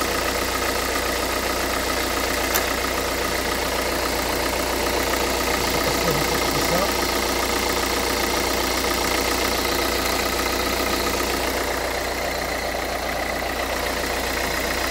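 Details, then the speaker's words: 2011 Renault Kangoo 1.5 dCi 86 hp, under 100,000 km, warm idle with air/foam in the fuel line: a hard, busy clatter and a steady rattling tick over the rumble from the Delphi injection pump. Glow plugs are new and the relay was checked; owner suspects a pump defect (metal filings). "Il y a un bruit pas trop suffisant, pas trop rassurant, pardon, je veux dire. Voilà, là on voit bien la pompe des filles."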